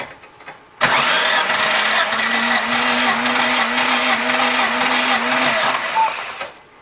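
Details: 1998 Chevy Tracker during compression testing, cylinders reading about 175: starter spins with a steady whine for about five seconds, even beats, no drag; healthy cranking.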